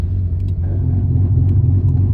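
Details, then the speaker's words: Ford Fairlane SOHC turbo build, rear diff just repaired after axle bearings failed on the dyno; steady low rumble under way with no whine, howl or clunk, so the diff sounds healthy. The engine still runs badly because it is untuned, and the brakes were just bedded in. "diff sounds good this is running bad because it needs to tune still"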